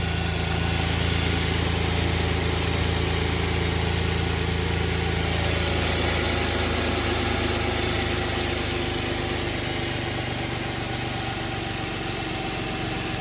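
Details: Audi A6 4F 2.4L engine at idle: steady running with a busy, fairly regular ticking and rumble over the engine; cause of the noise is unclear.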